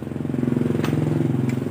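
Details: Honda Supra Fit/Legenda/Revo-type small single engine running fast with a rapid pulsing beat and rattly edge; abnormal engine noise, cause unclear.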